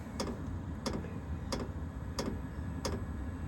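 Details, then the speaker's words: All-in-one diesel air heater installed in step of 2012 Ford E250 van, firing up: crisp evenly spaced clicks about every two-thirds of a second over low hum; fuel pump ticking, normal. "now you hear that tick it's got a little tick going to it but it's not too bad I don't mind the tick"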